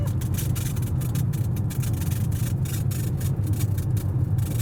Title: Styrofoam keeps making noises on the bumpiest road in town!